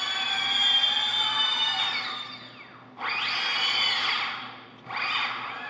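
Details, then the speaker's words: Heavy-lift drone armed at low throttle after swapping motor wires to correct rotation: a high whine swells and sags in three blips. The motors spin freely in the right direction; one seems slow to come on. "is going the right direction a little bit worried about that one there it seems like it takes a little bit to come on"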